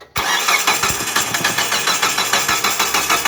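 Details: Distributorless engine car that died and had been towed in, cranking evenly about three beats a second with no firing; no-start traced to a damaged TDC (cam position) sensor socket so the ECU cannot find cylinder 1 timing.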